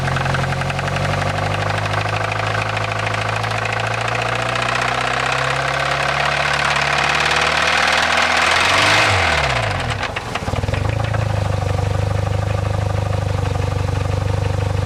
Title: Saab 9-3 2007 Engine Knock/Timing Noise